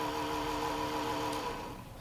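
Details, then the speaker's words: Coca-Cola mini refrigerator (bought 2011) cooling fan on AC mode: steady fan tone and hum that fades and drops off after a second and a half; fan going bad and slowing down, to be replaced with Cooler Master fan. "so if you hear that that's coming from that fan yeah see that that fans going bad and it's slowly slowing down"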